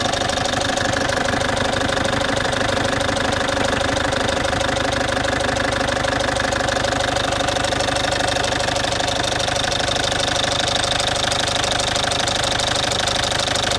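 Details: Citroën C5 2.0 HDi 100kW diesel at idle, injectors and valves repaired and new piston rings and valve seals 15,000 km ago: sharp, very even tick about three times a second; source unknown, owner suspects near injectors.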